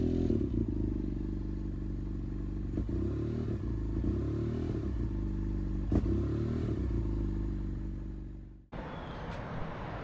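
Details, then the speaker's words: 2015 BMW F800R twin idling unusually high, note wandering with unprompted rev jumps; erratic throttle response and unstable idle after a rinse, with check engine light; owner suspects temperature sensor or thermostat for the error code. "So I think the temperature gauge or the thermostat might be the cause of this error code, but there are also other issues with the throttle response that's really weird."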